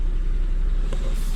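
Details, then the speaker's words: Car running after bad gas removed from tank and fresh gas added, check engine codes still to clear: steady low even rumble, no knocks, misses or surging; running normally. "after that everything will be good as you can hear the vehicle running"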